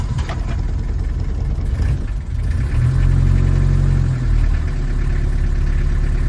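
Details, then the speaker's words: 1979 Toyota Hilux 2WD diesel pickup (RN30/LN30/LN40), imported to the UK from Thailand: even diesel clatter at a slow, lazy idle with one brief rev; runs nicely but idle sits a little low and needs adjusting. "there you are you can hear that little old diesel rattling away um runs really nice uh it's idling a little bit low so I need to adjust that"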